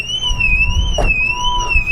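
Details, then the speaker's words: Salvage-auction car: its security alarm sounds after being triggered, a loud high siren rising and falling about once a second over a steady tone, showing the battery is still good. "That hurt my ear, man. My left ear is ringing. Well, it means the battery's still good."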